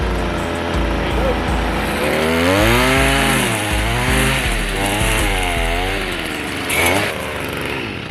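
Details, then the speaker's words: Small two-stroke (Stihl BG55 leaf blower, FS 55 or Shindaiwa T242), cold on choke after priming: catches and runs rough, the buzz rising and falling as it settles; normal cold running. "now you want to put it in your choke position might see a bit of smoke coming out of it at"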